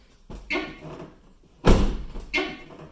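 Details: Van door rubbing its fender when opened: harsh scraping squeal as door edge grinds against fender; to be fixed without tools.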